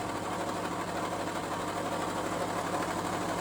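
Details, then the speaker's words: Car cold start: light, fairly even clunk-clunk clatter of two to three beats a second over the idle, only on startup and gone once warm; from inside the engine or gearbox, cause unconfirmed. "So it's coming from inside. So that's coming from inside inside the gear box or else inside the in the inside the motor."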